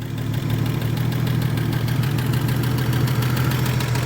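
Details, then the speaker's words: 1956 Chevrolet 235 straight six, parked since 1989, first run after 36 years on a carburetor full of fuel: steady, even low rumble with no knocks or misses, no exhaust smoke; normal idle. "But look at that. Is that sound like smooth or what? And there's no smoke coming out of the tail of this thing."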